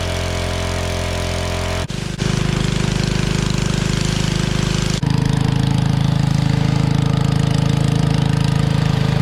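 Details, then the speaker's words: Generac 01292-2 pressure washer engine after fitting a replacement carburetor: steady single-cylinder chug settles to a fuller note after two quick stumbles, then runs even; runs fine a minute before nozzle steams and it tries to shut off, owner suspects pump overheating. "So turn it on and it runs fine for a minute"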